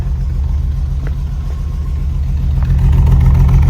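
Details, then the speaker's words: 1989 BMW 325is (E30) idling after an exhaust patch, new fuel and air filters, and injector cleaner; a deep rough idle with a regular chuff three to four times a second. An exhaust leak remains at the bottom of the header. "We definitely still have a leak down by the bottom of the header."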